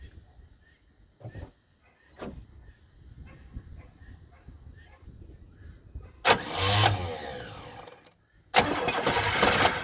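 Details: 1977 Chevrolet Malibu Classic, odometer 102,000 miles but possibly far higher, being tried for a first start: quiet pause, then the engine catches in a short roaring burst, dies, and fires again for a few seconds.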